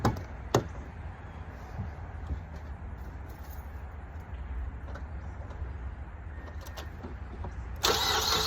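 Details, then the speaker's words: 2008 Mazda 3 2.3 DOHC 16-valve after new coil packs and spark plugs for a cylinder three misfire: short crank, catches, settles to a quiet steady idle with no stumble; check engine light still on; normal. "seems to be nice and quiet now."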